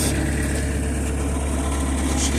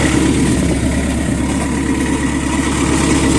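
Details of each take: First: Skid steer, sat for 5 years, new engine fitted, running at 36°F: steady low drone with even firing and no knocks or misses; normal running. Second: Skid steer, sat for 5 years, new engine fitted, running at 36°F: steady, somewhat uneven diesel idle with faint light scraping underneath; owner suspects a cover touching at the back, not confirmed.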